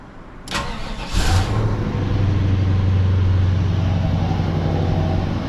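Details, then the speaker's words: LT1 V8 Caprice after replacing a spark plug with cracked porcelain (#8 rear) and gapping plugs: quick crank, clean catch, smooth even idle with no skip; misfire appears gone, possible small exhaust leak. "I think the misfire is finally gone y'all I don't want to speak too soon too so it might start going that sounds pretty good that might sound better than I've ever heard it"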